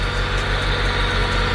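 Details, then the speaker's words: Honda del Sol idling after carbon fibre intake install and oil change; steady even idle with loud deep intake roar, no misses or knocks, no leaks found; normal idle. "do you guys hear the sound of the intake you can hear it dude what that intake is actually way louder than the one that we had before like absolutely crazy"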